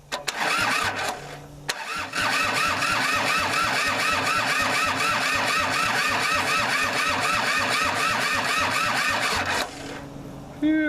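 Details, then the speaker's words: Kubota L2500 diesel tractor, revived after sitting, injectors bled, weak battery, return spring added to injection pump throttle: starter churning with uneven chuffing about twice a second, only some cylinders catching; very rough misfiring on cranking, no throttle response. "you could tell that what is firing is horrible and I'm not getting any throttle with this thing"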